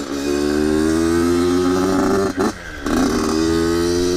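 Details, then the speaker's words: Yamaha YZ85 two-stroke on first ride after rebuild: revs climb, then in the power band the note drops and stumbles briefly before clearing; smooth at full throttle; owner suspects the carburetor. "But if you guys can hear the bog, I'm sure you can. Let me know down in the comments if you think it's the carburetor. Pretty sure it's the carburetor, because when it's opened up, it opens up and it's smooth. But when you're getting into the power band, not so smooth, it bogs a little bit."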